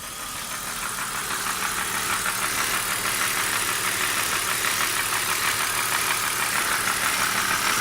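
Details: BMW E39 at idle: sharp, fairly regular light high-pitched knock about three times a second that goes away when the oil cap is lifted; cause not found; engine knocking at idle.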